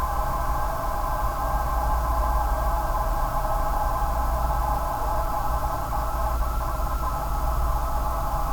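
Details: Corsair GS600 power supply: steady hooting tone around one kilohertz over even fan-like hiss, unchanging pitch; abnormal whine, also reproduced by the replacement unit, which later stopped working after about three months.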